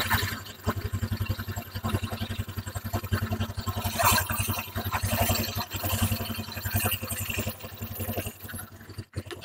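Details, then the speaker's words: Honda Vario 125 idling after replacing the rear CVT pulley bearings, which had caused a rough grinding noise at idle: steady, even idle with a smooth low pulse and no grinding from the belt drive; smooth as original. "kalau tadi sebelumnya Ketika langsam idle itu ada suara kasar di bagiana ini sudah halus seperti semula"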